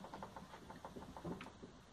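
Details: Hyundai HB20 front suspension, body rocked by hand: quick rattling knocks about seven or eight a second from play in a worn stabilizer link (bieleta), a noise earlier suspected to be the steering rack (caixa de direção).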